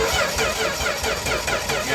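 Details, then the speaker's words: 1964 Dodge D100 short-bed stepside truck, sitting since 1996, cranking via jumper wires: steady Chrysler starter whir with even compression chuffs; sounds like it has compression, normal cranking. "I told you it's gonna have that Chrysler starter sound, dude. It sounds like it has compression."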